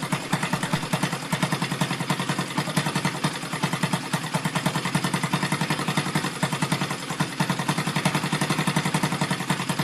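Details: Rebuilt Yamaha Vega (Crypton) single-cylinder engine with balancer, running on the bench without a frame after a rebored cylinder and a larger carburetor: light uneven clatter over a quick idle from the upper engine, which the builder attributes to the balancer; clutch and left side are quiet.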